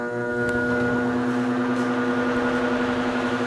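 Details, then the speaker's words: Ryobi 18V ONE+ 120 W inverter RYi120A powering a fan from a full battery: steady raspy mid-pitch electrical buzz over the fan noise, attributed to it not being a pure sine wave inverter. "i am hearing like a like i'm hearing like a weird noise like an inverter noise um it's not gonna it's not gonna kill the fan or anything but it's not a pure sine wave inverter"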